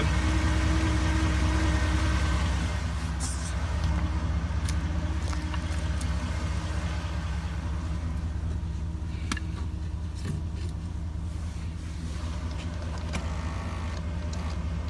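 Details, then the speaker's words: 2001 Chevrolet Silverado 8.1L V8 with Allison transmission at about 1,000 rpm: thin squeak over deep rumble, seeming to come from bell housing; not flywheel, already replaced, long-standing, cause unknown. "Get it up to 1,000 RPMs. Makes this noise. Sounds right like it's coming from the bell housing. Not too far back."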